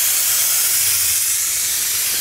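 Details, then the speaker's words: 2002 Ford F250 7.3 Powerstroke intake pressurized to 20 psi with a homemade boost leak tester, engine off: loud steady air hiss; large boost leak, partly at a coupler, main cause suspected to be a flimsy plastic part. "Well, that definitely sounds like a leak. Man, that sounds like a huge leak."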